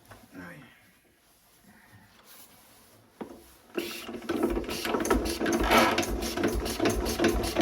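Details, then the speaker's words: Renée 1920s stationary engine, restarted after a tap: ragged, uneven beat of about 160 pulses a minute; owner suspects it isn't running on petrol, only on starting fluid; it later stops, losing compression. "À mon avis, il ne tourne pas l'essence. Il tourne que sur le Star Pilot."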